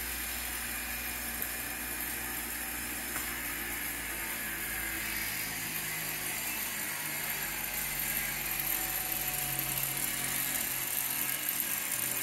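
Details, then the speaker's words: 1908 Spencer Turbine central vacuum after reassembly: steady even airy whir at full speed, no knocks or wobble, excellent suction and airflow; normal smooth running. "quite pleasantly surprised to see that the the machine came up to full speed and then ran smoothly At Last I could say that this thing was working again"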